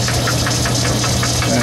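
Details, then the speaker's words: Logan 10-inch lathe cutting at slow speed, work fed by hand: a sharp clack about four times a second over the steady drive hum, in time with gear rotation. The cause is a broken tooth in the gears. "you hear that clack clack clack clack that's a broken tooth in my years"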